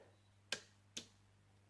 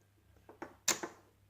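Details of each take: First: 1967 Chevrolet Camaro RS 572 relay box on test, trigger wire connected: three sharp, crisp clicks about half a second apart over a faint hum, fuel pump relay switching on and off; normal relay clicking. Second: look at that no power to the relays but there's power to the fuses must be the supply line is failed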